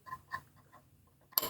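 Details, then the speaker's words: Brother A16 sewing machine threading: a few faint ticks, then one crisp plastic click as the thread hooks under guide number one and seats correctly. "under number one and you'll hear it make that clicking sound."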